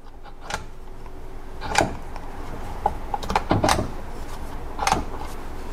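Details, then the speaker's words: Jeep Cherokee XJ 231/242 transfer case on the bench: crisp separate detent clicks as the shift lever moves between positions, from the spring-loaded plunger behind the plug; normal detent operation. "you hear that clicking so what's happening is underneath the jeep or underneath transfer case there is this plug"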